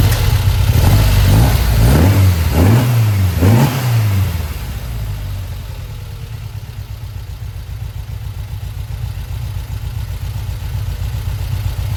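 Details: 1952 VW Split Zwitter bus with freshly installed 1904cc stroker engine (74mm crankshaft, 90.5mm pistons, upgraded from 1641cc), first start after install: three quick throttle blips rise and fall cleanly, then a steady even idle; sounds healthy, though a leak was spotted.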